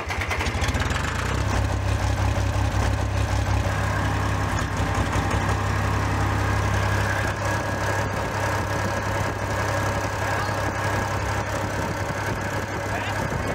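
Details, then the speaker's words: Case 485 loader tractor diesel, first start after head removal and reassembly for coolant filling the cylinders, cylinders not blown out, steady low idle with soft rhythmic puffing chuff; an injector isn't sealing in its bore, leaking air and vapor. "Injector isn't sealing properly in the bore, but it's no, it's not so bad it doesn't run, but we're getting little puffs of air, a little bit of vapor past."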